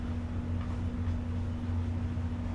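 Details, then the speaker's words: SMC DJ-52 ceiling fan with a four-spotlight kit, on a solid-state speed control at a low setting around 0.2 to 0.42; a faint steady low hum under the air noise; motor hum on solid-state speed control. "Sometimes SMCs just don't play well on solid state controls. You're very slight hum from it."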